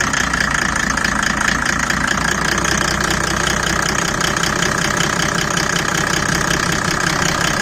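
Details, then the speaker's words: Mercedes W124 OM606 diesel, straight-through exhaust, ice cold at steady speed with the bonnet open: sharp, even ticking knock over the clatter. The owner suspected rod knock or the torque converter; the cause is unconfirmed, though the exhaust has a cracked turbo manifold pipe. "all right guys so just um a bit of a concerning sound coming from the car and I I wanted to kind of get people's perspective on us to me it sounds a little bit like rod knock"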